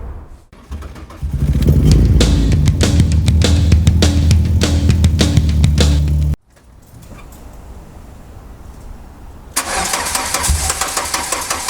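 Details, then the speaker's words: Slow, labouring starter cranking on an MK2 VW Golf GTI (KR 16v) being diagnosed for cutting out; it will not start because the battery is flat, so it gets charged first. "yeah the battery is pretty flat it's on uh yeah well it's on flat at the moment so that's not going to help things"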